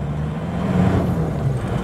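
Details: Isuzu Panther Hi Sporty diesel, loaded, climbing winding hills on the Trawas route: a deep, steady low rumble holding even with no misses or knocks; it is still strong. Normal running under load.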